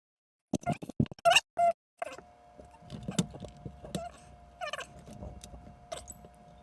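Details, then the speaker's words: Xbox One S cooling fan after spraying bike chain lube into it: steady mid-pitch hum with uneven light taps and ticks still recurring, the same noise as before the attempted fix. "Right, so I'm sure you've already heard, and I've just heard myself, that it's still exactly the same, making the exact same noise."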